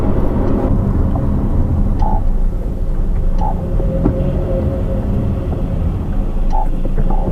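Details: New 2013 Honda CR-V AWD, about 4,000 miles, microphone in rear over differential; soft short frog-croak "wooonk" creaks over road rumble when pulling away at low speed; dealer unsure, countermeasure pump failed and noise returned.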